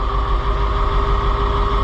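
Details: White 4-180 diesel tractor started after the transmission lube pump repair: steady, even low rumble at idle with no knocks, misses or rattles. The transmission light goes out.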